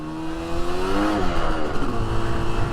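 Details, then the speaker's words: 1981 Suzuki GT250 X7 after full rebuild, first ride, not yet up to temperature: revs climb quickly and the engine note rises without the bike pulling harder, then settles; clutch slipping under load, adjustment planned. "Yeah, clutch is slipping very slightly. That's an easy fix."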